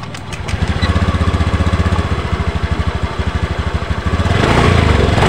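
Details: Honda Beat ESP scooter CVT: coarse, uneven chugging that swells as revs rise, noisy and pulling poorly; causes include deformed rollers/roller housing.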